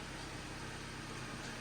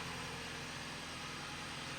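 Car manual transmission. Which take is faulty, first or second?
first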